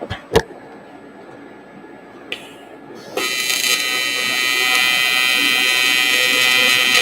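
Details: Everlast TIG welder test hit with Nova torch, standard cup and collet, gas at 12 CFH: arc strikes about three seconds in, steady crackling frying hiss with no sputter or popping; stable, normal weld.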